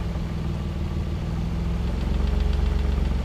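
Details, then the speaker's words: Mazda KL-DE 2.5 V6 swap in diagnostic mode: steady, even idle hunts while the system learns and sits a bit fast, staying high even with the idle air screw fully closed; a vacuum leak is suspected. "idle uh will hunt up and down as you see it while the system's learning where it needs to be"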